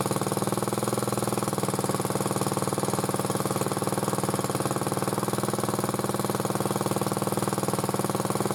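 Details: Motor-cultivator that knocked and stalled in autumn after hard use, started poorly; running after cleaning; single cylinder popping evenly with light quick tapping on every beat; owner suspects a valve tapping, before valve check.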